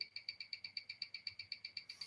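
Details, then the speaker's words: Watch held up to a timegrapher: crisp, evenly spaced ticks about seven or eight a second with steady rhythm; movement running healthy at roughly plus one to zero seconds a day. "I'm not getting too much of an image on here it will leave it be but you can hear it ticking away"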